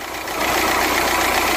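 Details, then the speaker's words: Vauxhall/Opel Zafira diesel with 252,000 km idling: a fast, loose metallic rattle over the engine from a badly worn turbocharger. "but that turbo is absolutely rattling its hits off it's rattling like a dog hopefully you can hear"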